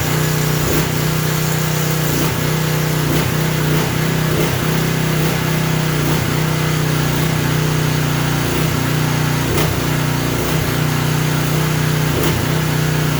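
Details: Craftsman 3000 psi pressure washer engine running unloaded, drone rising and sagging every second or so; surge expected to stop under water-pressure load; oil likely overfilled to the top of the dipstick.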